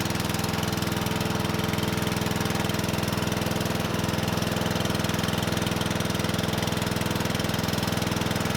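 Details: Murray 12.5 hp 40-inch-cut riding mower that had stopped running, after fitting a new carburetor and air filter: quick, perfectly even popping beat with steady low drone, no stumbles or surging; running good.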